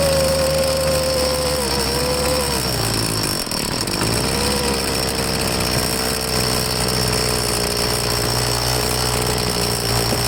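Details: Troy-Bilt two-stroke leaf blower after carburetor cleaning, test start: buzzy drone wavering and dipping sharply near 3.5 s, hunting for fuel as it loses prime; rough running, tank found out of gas.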